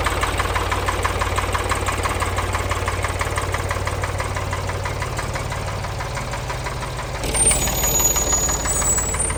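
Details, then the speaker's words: 1973 Ford 3000 diesel tractor that sat over a year, revived and run hard cutting a field: regular heavy knock of about three per second over the working note, starting after a couple of laps with loss of power; internal engine failure suspected. "I did a couple of laps in the tractor and the knocking started and we lost power"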